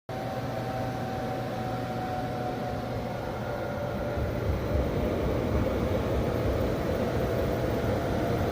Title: 6000xp making squealing noise